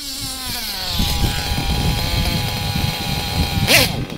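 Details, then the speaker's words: Nitro RC engine during needle tuning, low-speed needle too rich so it loads up: high buzzing idle, then after a throttle blip the revs drop and stay lower. Two-stage idle from a rich low-speed needle. "this is what you call a two-stage idol and it's something you don't want"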